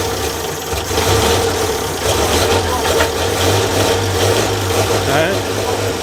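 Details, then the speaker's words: 1932 Morris Minor four-cylinder sidevalve, makeshift funnel fuel feed, 6V battery: catches and runs with an uneven, stumbling, misfiring beat over a low rumble; rough running, cause not confirmed. "hey she runs sorts of so look I wasn't sure if it would go actually"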